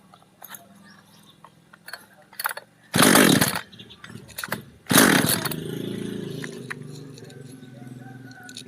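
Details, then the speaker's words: Chainsaw parked over a year that won't start; compression is good and the tank is nearly half full. Pull-starts fire briefly, then sneeze and sputter without settling. Spark seems erratic; fouled spark plug. "อึติดอยู่นะติดเหมือนจามครับปิดออกไปเลยเดี๋ยวลองดูระบบไฟก่อนครับแล้วค่อยดูคาบูอีกทีเหมือนมันจามครับติดแล้ว"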